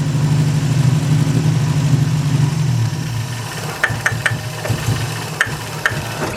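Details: Classic project car with rebuilt carburetors, vacuum leaks being chased: fast steady drone at idle, about 2,000 RPM with idle adjustment screws backed all the way out, then dropping away; abnormally high idle, cause unconfirmed.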